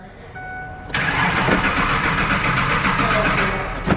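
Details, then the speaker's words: Free Ford Ranger, nearly dead battery on booster pack, fuel pump not heard and nothing from fuel rail test valve: starter cranks at steady beat but never fires; no fuel pressure. "we're gonna see if we can get it to see if we can hear the fuel pump [Music] i don't hear it ready it's on"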